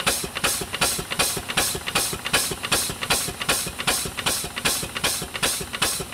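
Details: Newly delivered steam engine, first run in decades, hand-held on drums with no proper base yet. Crisp, even exhaust chuffs about 2.6 a second with a hissy top end and no knocks; runs well.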